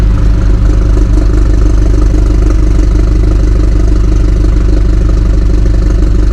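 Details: 2018 BMW 430i Gran Coupe (F36) with B48 four-cylinder, modified: cold start fast idle, deep even exhaust burble with a slight "little tractor" throb from the rear, steady and healthy; normal cold start idle.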